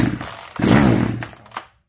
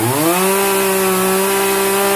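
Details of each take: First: Zenoah 3800 chainsaw, unused for a long time, given starting spray: small two-stroke catches, buzzes roughly about a second, then dies; carburetor diaphragm found hardened and needing replacement. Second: Zenoah 3800 chainsaw after carburetor mixture adjustment: clean, steady high-pitched scream at full revs, smooth drop to idle, then shutoff; runs right.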